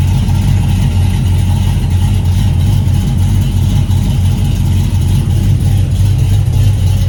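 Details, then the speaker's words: Cadillac CTS-V V8 with newly connected exhaust, still untuned, idling deep with a steady rhythmic chop, the lumpy lope of an aggressive cam. "So it does have a little chop to it. You kind of hear it now, but again, it's untuned."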